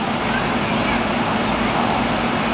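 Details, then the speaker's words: Replacement R-22 commercial AC condenser after blown compressor seal, charged and running: steady even fan whoosh with no rattles or cycling; subcooling and head pressure correct, running normally. "my sub cool is good my head pressure is good I'm liking that right there that's looking fine right there it's right where I want it"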